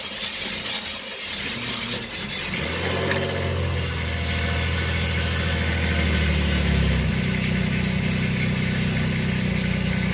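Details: 1989 Chevrolet Celebrity 2.8 V6, 173,000 miles, first start after replacing a failed lower intake manifold gasket, run briefly before oil change: brief crank, catches quickly, settles into steady even idle with no knocking, ticking or missing; normal start and idle.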